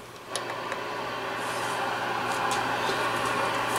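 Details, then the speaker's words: Classic Yaesu FTDX-560 ham transceiver on first power-up, tuned to 25 kHz: only flat steady static hiss with low mains hum, no signals received; peaking the pre-select makes no difference. "We'll put it on 25 kilohertz. And we have nothing. No receive whatsoever."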